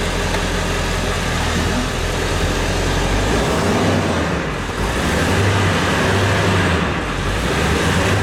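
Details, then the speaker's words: 2002-2003 Ford 7.3 Power Stroke diesel, bought at auction as a non-runner and given a new clutch, just started after injector shimming and not yet warmed: loud diesel clatter with a lumpy, uneven idle. Owner suspects one injector is still not hitting. "sound like it still got one injector is not hitting uh like it should we let it warm up and see uh See if that changes"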